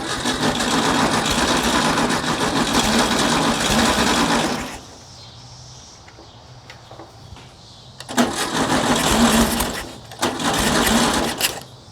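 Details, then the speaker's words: 1960s VW dune buggy air-cooled engine, sat over 10 years: fuel fed manually with shutoff solenoid and choke disconnected; fires and runs rough, dies, catches in uneven bursts while throttle pumped; won't idle. "Come on. I'm pumping the uh the butterfly because it's uh squirting fuel down there. Yes. Come on. does not want to idle."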